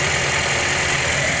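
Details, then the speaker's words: Toyota at about 120,000 miles idling: smooth steady idle with only a faint light top-end tick, ordinary valvetrain noise; earlier a loud valvetrain tap was quieted with oil additives. "of course you're always gonna have a little noise coming from your valve train as you can"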